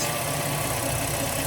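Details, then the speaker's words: 2011 Chevy Cruze 1.4L turbo at test start-up after wastegate actuator replacement for P0299 underboost code: steady, even idle hum with a slight low rumble and no knocks or misses; first start sounded doubtful to owner, but it seems to run okay. "But seems to be running okay."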